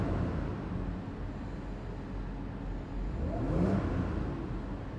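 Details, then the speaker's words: Audi Q7 after fixing a cylinder 4-5-6 misfire by replacing an ignition coil and reinstalling the supercharger: engine revs cleanly and smoothly, then drops to an even idle with no stumble or miss; the misfire is gone. "Umaandar na siya ng maayos. Wala na siyang enginefire. Ayan. Okay. Maganda ng andar niya."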